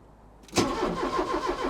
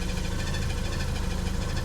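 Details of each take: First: Porsche 944, off the road five years, after replacing the sensors at the back of the engine: short crank, then it fires and settles into a steady idle with no stumbling; first successful start, owner says it sounds a bit like a budgie. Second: Porsche 944, off the road five years, just restarted after replacing parts at the back of the engine, radiator leaking: rough, lumpy idle with a quick, regular high chirp over it, described as budgie-like; chirp source not yet identified.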